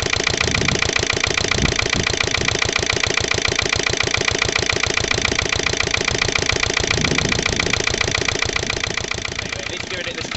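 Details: Lister LD1 single-cylinder diesel on a chilly 5–6° morning after a fuel filter change: loud thumping about 214 beats a minute, uneven and labouring under load, pace sagging. Rough running; after heavy loads slightly better, owner still suspects the injection system.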